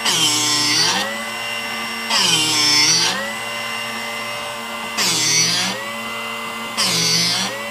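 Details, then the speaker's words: Drill Doctor sharpener sharpening a 1/2 inch (13 mm) cobalt drill bit after backing out, then gradually readjusting jaw depth: steady motor hum with bursts of hissing grinding every two seconds, each stopping cleanly at mid-point; correct sharpening sound. "So we're going to start coming back in, and we'll start doing just a little turn at a time till we can get it to quit making that noise. And we'll have to loosen that up. I think we're going to go right there. So that's the noise that we want to hear."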